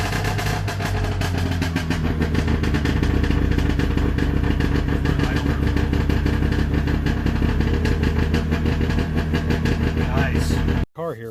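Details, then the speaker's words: Micro car small engine, started in neutral with a little choke after a slow crank; steady, even beat with light clatter; normal idle. "we turn the key a little bit of a slow crank oh fired up"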